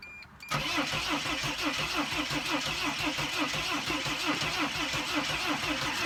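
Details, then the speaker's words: Mercedes Sprinter diesel with a no-start after the control module was reattached, crankshaft sensor code suspected; steady rhythmic cranking about one beat a second, chuffing as if about to catch but never firing; crank no start. "I mean it almost started up it like it almost sounded like it wanted to start working so"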